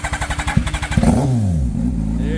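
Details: Turbocharged Hayabusa motorcycle, first GP-built turbo build, started at delivery to customer: even cranking pulses, about six per second, then fires, revs up and settles into a steady, smooth idle; healthy start.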